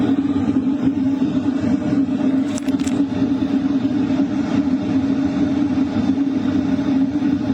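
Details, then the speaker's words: LF Bros diesel heater set to 4 kW, heard inside a tent at night; sound mostly from the air duct plus the exhaust pipe outside: even, steady airflow whoosh with constant low hum, no surging or rattling; normal running. "What you're hearing right now is mostly the sound from the air duct, and also the exhaust pipe outside."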